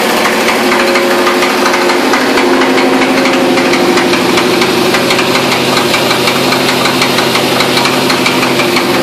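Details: LS1 V8 at idle with a fast, uneven ticking knock of about three beats a second; knock suspected, source not confirmed.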